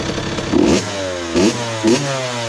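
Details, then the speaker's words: 2001 Honda CR80 two-stroke, previously knocking, after idle screw adjustment: settles into a soft, even idle between quick throttle blips with no knocking underneath; idle sounds healthy. "yeah that's definitely it a nice soft Idol you know what I'm saying"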